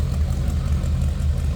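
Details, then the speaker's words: 1932 Ford Roadster street rod, 239 cu in flathead V8, Edelbrock heads, Fenton intake, odometer 3,336, just started cold: deep even burble, steady low thump, no knocks or misses; normal idle, good oil pressure. "take a listen that old school Flathead [Music] sound"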